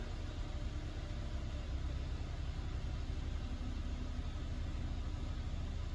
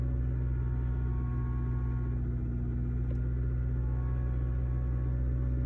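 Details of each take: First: 2006 Toyota Corolla 1.8, about 200,000 miles, idling after oil was cleaned from the cylinders (leaking valve cover gasket filling spark plug holes caused misfires P0301-P0304): low, steady, even idle with no stumbles. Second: 2006 Toyota Corolla 1.8, over 200,000 miles, started cold (misfires mostly when cold, going uphill), new coils: low slightly uneven chug at idle, misfires across the board, codes P0301–P0304.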